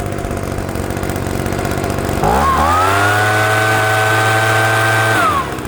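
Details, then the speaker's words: PROYAMA 3-in-1 leaf blower/vacuum two-stroke, warm after about five minutes of break-in: buzzy note climbs quickly to a steady high pitch, holds clean and even under throttle, then drops back; healthy running. "she got good RPM. Trigger lock. Works really, really good. No, throttle response is there. It's not loud. It's not like crazy loud, you know."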